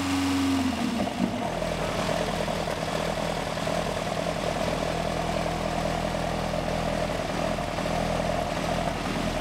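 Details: Ford XR2 crossflow four-cylinder, just started on newly fitted Omex individual throttle bodies replacing a Weber-style carburettor: a steady, deep burble holds an even idle after a brief crank, with no knocks or misses.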